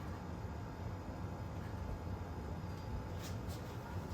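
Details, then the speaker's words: Restored Snoopy ceiling fan running after completion: quiet, even low hum with no ticking, rubbing or wobble; normal, balanced running. "I finally just finished this one it's not even really wobbling or anything"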